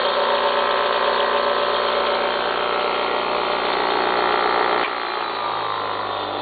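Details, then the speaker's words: Apparently brand-new Baldor 8107WD bench grinder, 3/4 hp, 3600 RPM, single phase, wired for 115 V, running with a steady even hum and whir, settling slightly lower, no knocks or grinding. Healthy run. "We currently have it powered up so you can hear it and watch it run. We'll flip the switch, and there she goes."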